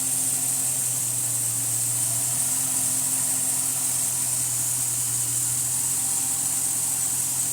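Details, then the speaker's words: Chrysler 300C 5.7L Hemi after fixing melted #8 coil pack wiring to the ECU and blown #15 fuse: faint, even, low idle hum under steady hiss, no misses; running on all eight cylinders again. "wire from the coil pack right to the ECU, and it's running on 8 cylinders again."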